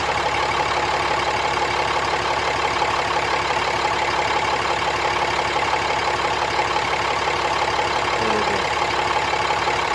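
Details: 2017 Ram 3500 diesel idling with steady clatter, about three rattles a second, during injector kill test with scan tool (5-second kills at 12–17 s and 28–33 s); cause not pinned down.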